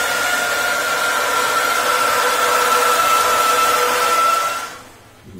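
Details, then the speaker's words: Gas boiler heating hot water, burner modulating after the tap opens: steady hiss like a kettle with a thin whistle near 1.3 kHz; heat exchanger kettling, steam bubbles collapsing (cavitation). "часто шум может быть писк может быть глухой шипение как в чайнике довольно таки распространенная проблема"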